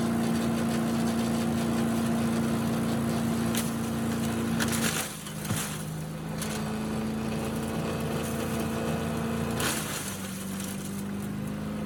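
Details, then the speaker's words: Restored Yard Machines chipper with Tecumseh engine chipping leaves and small branches. Steady drone briefly sags and recovers as brush feeds in; the engine pulls the load evenly and runs healthy, though some water remains in the oil. "so you can see it does a good job chipping up at least the small stuff it's really good at leaves and small small branches"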